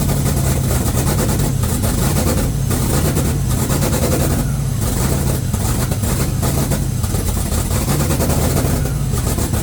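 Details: 1969 Cutlass twin-turbo V8 on its first start, blow-off valves not fitted: deep, loud idle with an uneven, lumpy pulse and occasional dips; rough running expected because it has no MAF or O2 sensors.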